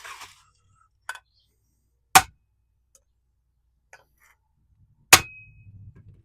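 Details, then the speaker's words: 1969 Honda CB350 cylinder head, valves tapped with a hammer to check for seizing: sharp clear metallic pings, not a dead solid thud, and valves visibly move; all valves free, not seized. "They're all good. Now, if they were seized, you wouldn't quite hear that ping and you wouldn't really feel it in the handle as it goes down. It would be more of like hitting something solid, like a solid thud."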